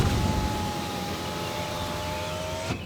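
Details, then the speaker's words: Used BMW F82 M4 after one year of ownership. The power window glass gives a thin, dry screech with slowly falling pitch over the lower part of its travel, then stops dead. This happens every time when the paint is not waxed. "So if this car is not waxed and it doesn't have a good amount of, I guess, product on the paint to protect it and to keep it nice and slick, the windows make kind of a noise when you reach about, I would say from here on down. It makes this like dry screeching noise."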